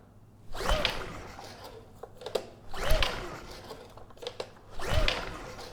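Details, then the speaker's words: Honda EU2000i generator after carb needle and seat checked OK, ignition switch bypassed: three recoil pulls, each a short whirring rush that dies away, choke on and off, never catches; suspected no spark or, more likely, a main jet problem. "So, let's see if it starts. And yeah, we're not getting any signs of life."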